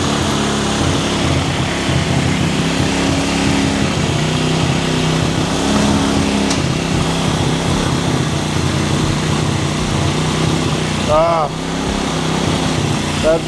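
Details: Cheap quad bike ATV revived with new wiring loom, cleaned carburettor, new spark plug, CDI, regulator, battery and clutch, jump-started and warming up: small single buzzing at steady idle with brief blip, no knocking or rattling. Normal running.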